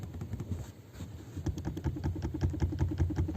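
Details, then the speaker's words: Lada Kalina hatchback, trunk area: dull hollow knocks about two or three a second from the rear armrest, which has play in its mount; packing it tighter made it quieter. "также стуки будут исходить помимо газовых упоров из подлокотников тоже вот смотрите"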